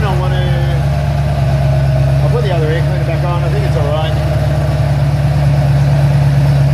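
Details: Ford Falcon XC GXL's restored 351 V8 idling, not yet warmed up: a deep, even idle with a steady low burble and no misses, knocks or ticks. Normal idle.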